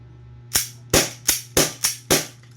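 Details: Double Bell Pit Viper gas blowback pistol reassembled after O-ring leak fix, testing the nozzle before the outer-barrel noise fix: six crisp cracks in about 1.5 seconds, clean with no hiss; cycles properly.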